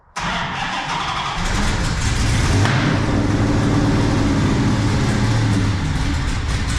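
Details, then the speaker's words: 1970 Dodge Super Bee with Gen 3 Hemi and Holley Terminator X Max EFI, after fixing vacuum leaks: loping, uneven idle with lumpy low beat, still under 10 inches of vacuum; misfire and MAP issues, cause not found. "All right. Unfortunately, we're not building any more vacuum. Still less than 10. Damn. Still less than 10 in of vacuum."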